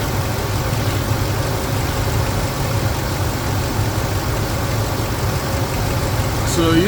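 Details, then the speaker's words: Ford 5.4L 2V V8 after engine repairs (Cometic head gaskets, ARP head studs, Melling 176 high-volume oil pump, new timing chain guides and tensioners, Gibson headers, 3.5in cold air intake), premium fuel, warm with coolant up: steady, smooth idle, no knocks or ticks; normal idle. "you can hear it uh nice running engine everything is working just the way it's supposed to be"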